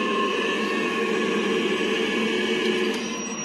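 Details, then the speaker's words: Navien NCB-240E combi boiler after an E352 water-pressure error, heating disconnected, running on hot water: steady burner rush with faint even whistling tones and no banging or kettling; normal operation. "I'm going to check it's working I think it is yep it's working"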